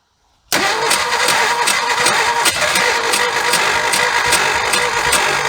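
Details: 1976 Ford F150 abandoned 30+ years, spark restored, carb cleaner sprayed in: cranking with uneven, ragged firing pulses that catch and fade; engine sputtering, wanting to run.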